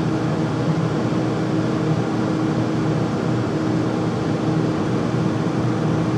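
Steady loud roar with a low constant hum underneath, no knocks or rhythm changes; furnace running noisy, cause not pinned down.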